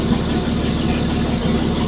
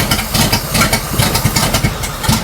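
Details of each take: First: 1941 Chrysler flathead inline six after correcting swapped cylinders 6 and 2 in firing order, which caused shaking: steady even idle with no misses; about 20–30 psi oil pressure at idle. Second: 1941 Chrysler flathead six coupe, engine being test-run on 87 octane with no exhaust system (just a pipe): lumpy, uneven idle with stumbling and dropouts, only some cylinders firing; old ignition wires noted; misfire.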